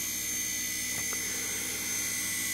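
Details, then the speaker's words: Series-wound DC motor near 2,000 rpm, generator PWM raised to maximum braking into resistive load: steady high-pitched whine with faint low hum, more drag; normal regenerative braking. "let's increase the PWM on the on the generator Mona yeah as I'm increasing it there's more more drag now that's maximum so that's the full amount of break"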